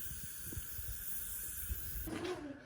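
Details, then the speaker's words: Square baler tire being aired up: faint steady high hiss for about two seconds, then fading, as air escapes around the valve stem. Tire valve air leak. "It's leaking around the thingy bobber. What's that? No, the thing you put the air hose on. The valves."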